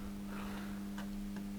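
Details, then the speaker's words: Zanussi ZAN-3K-2G (rebadged Solis 2G) 3 kW grid-tie solar inverter: steady hum with sharp repeated relay clicks, zero watts output, looping OV BUS relay error; caused by burnt relay solder joints, fixed by replacing relays. "it's a bit peculiar now it's a relay clicked again and an alarm OV bus that's a relay error OV bus on this machine so it's going to keep going in a loop"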